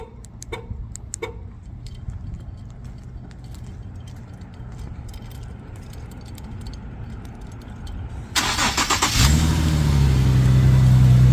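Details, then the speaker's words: Infiniti QX70 / FX37 started by pressing the newly installed 12 Volt Solutions remote start three times; quiet clicks, a brief crank and a clean catch into a steady, even low idle with no misses or knocks. "There you go. As you can hear, the car is on."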